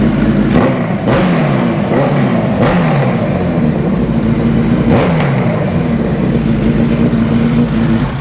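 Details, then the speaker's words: 2000 Suzuki Hayabusa after fixing rust-filled tank, bad fuel pump, wiring, new plug and checked injectors: crisp, even revs rise and fall cleanly, running on all four cylinders; normal running. "start button now you can hear she's running all four"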